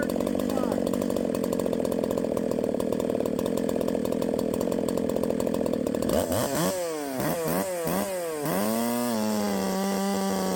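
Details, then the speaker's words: 372XP clone chainsaw at full throttle in the cut with flywheel advanced a full key width: high, rough, burbling scream, then bogging and wavering; over-advanced ignition timing. "too much Advance that's when all that noise is up top that's just like the echo 590 whenever I Advanced it it was too far I couldn't get it to stop four stroking"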